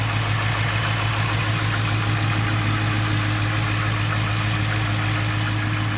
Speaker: Idling right down, no check engine lights. Do a little rev here. Yep, you can definitely hear it. Sounds great.